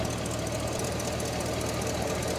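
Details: 1969 Cadillac Eldorado, 21,000 original miles, running after sitting about 20 years in storage: even, steady idle with no misfire or surging; charging at 13.2–13.3 V, no leaks seen; running normally.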